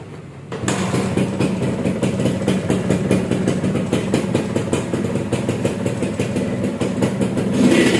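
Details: Restored Suzuki Satria two-stroke motorcycle, sound check after the restoration was finished: crisp, even two-stroke crackle that picks up cleanly on the throttle with no knocks or misses. Normal, healthy idle and rev.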